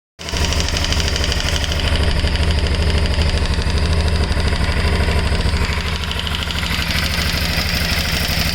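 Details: 2008 Shiver 750: a steady idle with a loose, uneven rattle riding over the engine beat; source not pinned down.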